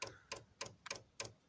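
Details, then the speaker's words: Chinese diesel night heater dosing pump set to bleed mode, priming the fuel line: crisp, even ticks about three per second over a quiet background as it pushes diesel and air bubbles through; normal fuel pump ticking. "I've just set it so it's bleeding the system, so that H means bleed somehow. So it's now pumping."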